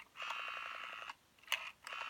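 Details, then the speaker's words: 1974 Western Electric Bell System rotary desk Trimline telephone, dial in handset: crisp evenly spaced pulses about ten a second in two runs over steady line tone while plugged in, dial returns cleanly; normal rotary dial pulsing. "and the dial has a really nice sound to it"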